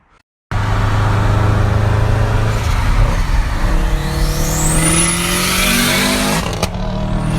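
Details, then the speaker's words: Subaru STI after engine reinstall and new clutch, no-crank no-start fixed by repairing bad ground: engine fires and pulls cleanly, pitch climbing smoothly under throttle without stumble or cutout. "So I went back in the car and it started right up."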